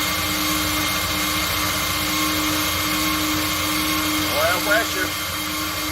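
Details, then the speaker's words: Dodge A100 (A108) van that sat for years without running, cranked with a remote starter at the starter while watching the oil light: a steady whir and even churn with no binding. Normal cranking, with about five pounds of oil pressure. "all right we're gonna jump the starter so we can watch the oil light we got us a remote starter motor boat starter here"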